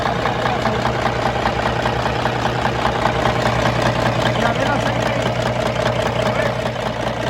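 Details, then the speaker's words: Kenworth diesel truck at idle: regular light rattle about two and a half times a second, first unsure whether engine or engine brake; one of three engine brake heads not working, traced to a loose broken actuator piece striking a bolt. "mi papá escucha un ruidito dentro del freno de motor no sabes si es en el motor o en el freno del motor no sabe pero se lo andamos buscando"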